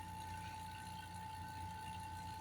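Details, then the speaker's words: Vacuum pump, new, evacuating an air conditioner being repaired for leaking PEX-to-PEX fittings: quiet steady hum with constant high whine, no gurgle of drawn air; pump at deep vacuum, no more air in system. "Cada vez que baja y se escucha cada vez menos es porque prácticamente la misma bomba queda en vacío y ya no está absorbiendo nada porque ya no hay aire en el sistema."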